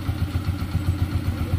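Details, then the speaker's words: Honda TMX 125 single-cylinder motorcycle idling after tune-up with valve clearance set to 4-5 (intake/exhaust); soft, even low thump about seven or eight beats a second, no top-end ticking; very quiet, healthy idle. "Ayan na mga kaduit. Okay na oh. Tahimik na tahimik oh. Yung tune up ng 4-5."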